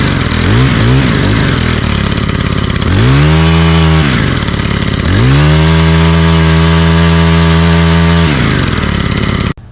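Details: Stihl HT 131 pole saw with a 4-MIX engine: the engine catches, blips up twice and holds a steady, even high rev before shutting off cleanly; it runs healthy.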